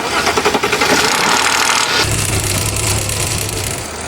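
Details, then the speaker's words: VW/Audi EA837 six-cylinder on cold start: harsh crackling rattle for 2-3 seconds then steady idle; timing chain tensioner's plastic guide pad worn away, chain slapping; replacing the tensioner fixes it. "链条就在上面发出噼里啪啦、噼里啪啦的异响，把这个张紧器换掉，这个声音就解决的啦。"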